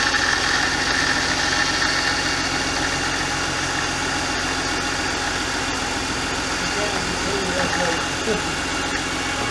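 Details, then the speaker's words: BMW E46 Touring with freshly built S54 engine and manual swap, first start: busy, even idle with a thin high whine over it, noisy pump suspected, something dripped; kept off steady idle during break-in. "Noisy pump. Something's dripping or did drip but stopped."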